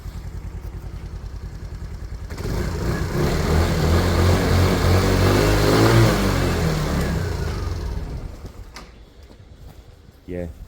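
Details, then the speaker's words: Small single-cylinder motorcycle, in good condition and low on fuel, revs smoothly with a steady even beat and no knocks or rattles, then settles back. Normal running. "But this this sounds beautiful. It's low on fuel actually, isn't it?"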